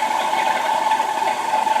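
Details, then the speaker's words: 2006 Buick Lucerne 3.8L V6 idling: constant rough high whine near 900 Hz from the worn water pump bearing on its way out; pump leaking coolant by the crank pulley, before replacement. "today I'll be getting down here water pump right there if the water pumps making so much noise I'm sure it's gonna go out here pretty soon"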